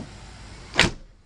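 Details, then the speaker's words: 1992 Corvette C4 driver door after new weatherstrip fitted: one short, solid thump as the door shuts, no rattle or buzz after; healthy, well-sealed close. "like that that sounds more than like a new car try that one more time yeah okay I think that's a success"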